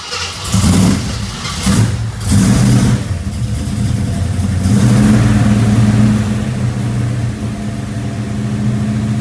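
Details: 1972 AMC Javelin after an Autolite 2100 carburetor rebuild: the engine cranks, catches and revs in uneven bursts, runs rough and unsteady, then dies. It is struggling for fuel; the owner suspects the new fuel pump, unconfirmed.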